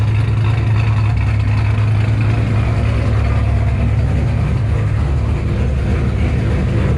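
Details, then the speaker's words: 2007 Shelby GT500 supercharged V8 with newly installed L&M NSR cams, tuned, warm after first start: deep, loud, choppy lumpy rumble, running strong and even; healthy cammed engine. "she sounds amazing like straight up amazing this is having a supercharged gt500 is one thing cammed on top of it it's just like legit your dream come true right now"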